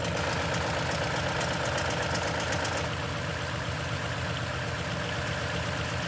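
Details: 2010 Toyota Tundra, 165k miles, 5,500-mile oil changes: fast light ticking about four a second over the cold idle, fading after a few seconds; suspected timing chain noise on cold start, unconfirmed.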